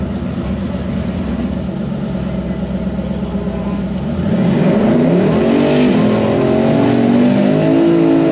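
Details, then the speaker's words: Twin turbo Hemi Dodge truck full-throttle drag pass after tune changes: strong engine note climbs cleanly, crisp solid shifts taken early around 6,400-6,500 rpm, no misfire or stumble. "there we go there we go there we go there we go that's better that's better dentle baby early shift in 64 6500 right on down through there perfect"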